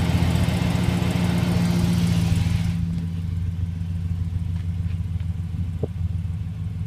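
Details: 2008 Chevrolet Silverado V8 idling with a light ticking that slows as revs drop; unclear whether exhaust leak or engine knock.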